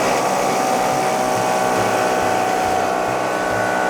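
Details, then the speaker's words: Small air-ride compressor for a Scooter (Slambretta) build, jury-rigged through relay and pressure switch (cut-out 120 PSI) off jump leads from a big battery, building pressure on first run: steady even motor buzz, constant high hum, no knocks. "let's just fire it up anyway and just see if we can build up some pressure in this thing first before we even test the bags or anything um just checking for air leaks and all that kind of thing"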